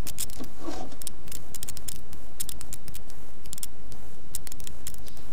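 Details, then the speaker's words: Switched-on table lamp: irregular sharp crackles and snaps from its failed transformer, to be replaced by part number. "треск трансформатор ну это трансформатор вышел из строя"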